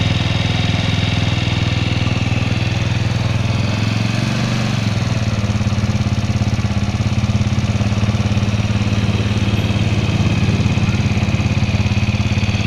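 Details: 2004 Suzuki Shogun 125 R single-cylinder idling after clutch plates, clutch housing and cam chain with rubber were replaced a year ago; uneven, rough patter over the low thump; abnormal engine noise, cause not pinned down.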